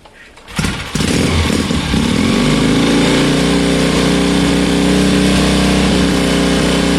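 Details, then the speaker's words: 1972 Bonneville twin, about 50 years old, started after sitting about three weeks: it takes a few kicks and a couple of failed catches, then fires and settles into a steady, even idle with no knocks or misses; a normal start. "uh guys honestly that ran so well it did take a few kicks to start but it runs so well"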